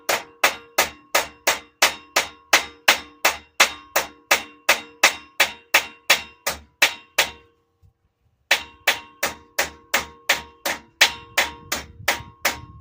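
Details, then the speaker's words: Fabricating the lower hood centre section: steady hammer blows about three a second, hollow where the first crease still rises in the panel, ringing sharper ting where flat; a small spot still remains. "You can hear the difference in the sound as I'm hitting it. When it's a hollow sound, that means you still have a rise in here where that first crease was."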